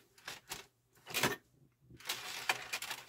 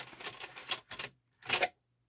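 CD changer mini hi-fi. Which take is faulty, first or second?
second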